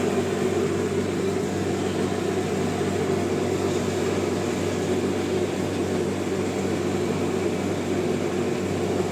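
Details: Clothes dryer after repair; it had hummed without rotating, and a jam was suspected from something getting inside when the filter was left out. Now it gives a steady, even motor hum with smooth fan rush and no knocking or rubbing.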